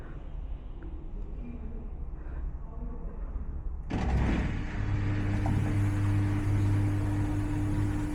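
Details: Samsung front-load washer on spin: quiet at first, then the drum spins up into a heavy low rumble with a steady hum. A broken spider arm lets the drum wobble.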